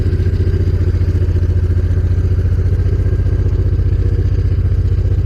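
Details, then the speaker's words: Honda VTX 1800 fuel-injected V-twin, cold, just after a spark plug change: steady, even beat at a slightly raised idle, no misses or stumbles; normal cold fast idle that should drop as the engine warms. "The RPM of the engine is quite high now. Hope you can hear it. So the RPM is high, but at some point that the engine gets warm up, the RPM would drop."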